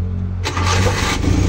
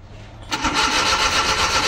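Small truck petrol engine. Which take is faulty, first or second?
second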